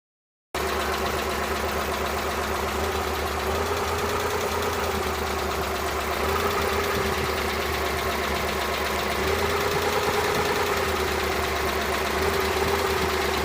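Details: Suzuki Multicab with F6A engine: steady idle with an uneven, stumbling beat and occasional dips in the note; random misfire, cause not yet found.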